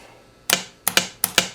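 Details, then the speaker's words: 1972 Evinrude 18 HP outboard, adding electric start: bench test of solenoid wired to power pack, sharp crisp clicks in quick pairs as power is touched to S1; solenoid pulling in cleanly, working normally. "that's the solenoid magnet pulling the that up inside there to finish the connection"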